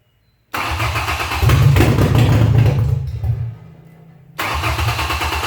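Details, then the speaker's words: Old Ford junk auction truck at its first start attempt: catches and revs about two seconds, then fades and dies; the fuel pump isn't heard running, seized and not feeding fuel. "alright so what's happening is no fuel pump I don't hear it running it started fired right up just for a second but the fuel pump is not continuing to run"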